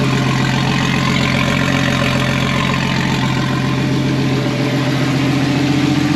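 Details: Nissan RB20DET engine in a 240Z, first start after wiring finished, fuel pump primed and fan working: smooth, even idle with steady low drone and regular firing pulses, no knocks or misses; healthy.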